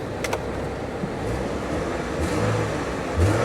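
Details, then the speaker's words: Salvage-auction car at Copart lot, started right up with check engine light on: engine revs smoothly in clean blips and settles back, no misfire or knock; goes into gear backward and forward fine; normal revving. "seems to run well let's put it in gear it goes backward and it goes forward just fine"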